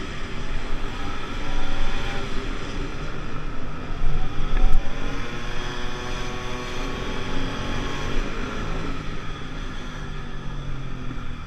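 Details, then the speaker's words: 50cc two-stroke Pulse Force scooter on a road test after a fuel-starvation fix, 14-stone rider, no panels: high-pitched buzz climbs through the revs under wind noise, pulling cleanly without bogging; normal running. "Okay guys, that was a really great test run."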